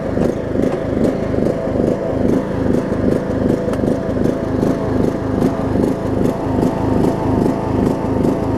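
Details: John Deere LA105 riding mower engine, unrun about three years, around 40°F after fuel tank cleanout and carb cleaning, chugging unevenly, speed hunting two or three times a second; rough surging, owner suspects gunk still in the tank.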